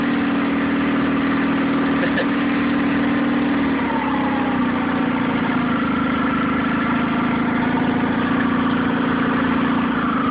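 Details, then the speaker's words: Nissan 9.8 outboard, first start on a cold day with the choke on, water semi-warm, started on the third pull: steady low idle with a slightly wavering, uneven drone, no knock; owner unsure if it's not warmed up or the off-idle needs adjusting. "It runs. It's a little rough. I don't know, maybe it's not warmed up enough, or maybe I need to adjust the off idle here a little bit."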